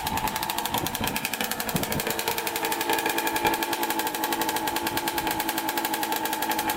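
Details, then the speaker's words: Kawasaki KX65 two-stroke dirt bike after repair, ridden: rapid, even popping with a sharp, raspy, very loud exhaust note; rider says the silencer needs repacking. "I need some repacking but yeah it's really loud"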